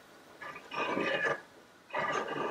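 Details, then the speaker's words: Stroker flywheels in freshly assembled crankcase turned by hand with engine stood up: two slow rasping scrapes as the flywheels slide down the tapered Timken race and rub the right crankcase half. "hear that scraping that's because the timken race is tapered and when you stand the engine up the flywheels slide down the taper and shoves them to the right so the right side of the flywheels are now rubbing on the crankcase"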